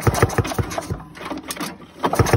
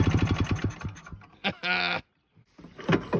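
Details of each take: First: 1987 Ski-Doo Citation LS Electro 250 snowmobile found at the dump, pull-start cranking; good compression pulses but no firing, no spark because the safety key is missing. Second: 1987 Ski-Doo Citation LS Electro 250 two-stroke snowmobile found at dump, makeshift fuel line with primer, gas possibly put into air box; after a few sputtering tries it catches and buzzes at an even, lively idle for ten seconds; normal running.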